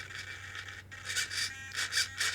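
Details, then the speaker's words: RC car with Flysky G11P transmitter and FS-R4B receiver: repeated high buzzing as the steering servo strains at full lock; end point set too far, reduce it until the servo stops struggling. "you can see this is still struggling a tiny bit. So, I can bring that down a bit more."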